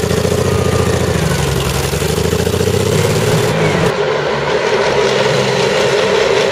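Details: CVR(T) Striker FV102 Swingfire tank, August 2010: rough, uneven engine beat with stumbling low pulses that never settle into a steady rhythm; misfiring badly, caused by a stuck valve; engine later replaced.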